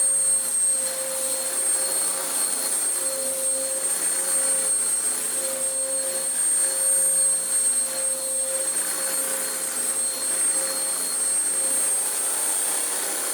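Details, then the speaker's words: Vax Power upright vacuum: steady motor rush with constant mid tone and high whistle as belt rides off and rubs round worn-through brush roll end, very warm. "No, we don't have all day waiting for it to break again. It's wrapped itself back around. Oh, that's very warm."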